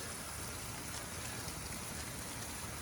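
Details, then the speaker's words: Drip irrigation system on a hillside terrace planter: steady hissing spatter as water sprays from a big leak in the main drip line, before repair with a push-in connector. "oh no we've got a big leak coming out of this main line on the drip"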